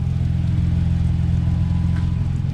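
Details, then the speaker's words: Steady deep rumble with hollow, louder-than-stock exhaust note at constant speed after a cheap clamp repair; the leak is still coming from a hole in the muffler. "That sounds like it might actually be coming from the muffler again."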